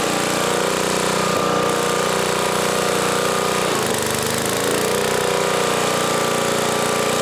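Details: 1980 Homelite 5000-watt generator with cast-iron Briggs engine, load test running a 220 V 3 hp air compressor: loud steady drone with only a brief dip as the load comes on; runs healthy under load, no smoke.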